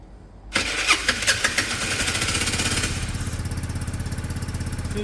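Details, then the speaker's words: Peugeot Satelis barn-find scooter after immobiliser wiring work, fuel pump priming; catches within a second, few rev blips, then quick even single-cylinder putter; normal start and idle. "that sounds"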